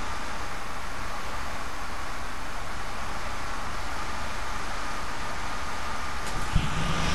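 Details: HP Pavilion G series laptop system fan after a fix for the 90B fan error: an even, steady airy whir with no rattle or scraping, the fan spinning normally.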